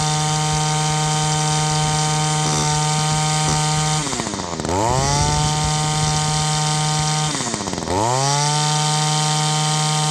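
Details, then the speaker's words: Echo two-stroke line trimmer, barrel-style carburetor, high-speed mixture screw turned in: at full throttle the rough four-stroking turns into a smooth, steady high buzz, dipping twice and recovering cleanly; rich mixture leaned to the correct setting. "so you hopefully could hear the difference in the video the tone of the engine change from that sort of ruff that ruff four-stroke sound to the smooth two-stroke sound just by turning in that screw it it leans out the amount of gas that gets mixed into the air and it sounds like that carburetor is set pretty good now"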